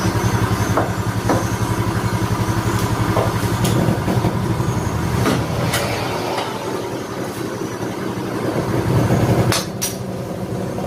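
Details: Yamaha Mio Soul after an engine rebuild for a rough, noisy engine, started after reassembly: the small single chugs at a fairly even idle with a few light taps on top; normal idle.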